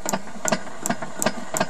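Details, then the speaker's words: Honda GX270 paramotor engine cranked in a dark garage for an ignition circuit test, with the coil cleaned and the flywheel loosely fitted; crisp, consistent snaps about every third of a second; ignition sparking properly. "I'm just doing a uh ignition circuit test so I brought it into the relative dark of the garage again"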